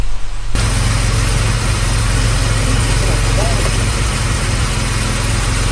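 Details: 1978 Jaguar XJ6 Series 2 barn find, off the road 24 years, after repairing a loud engine rattle: engine catches and settles into a strong, steady low drone with no knocks or rattles, good oil pressure; healthy running.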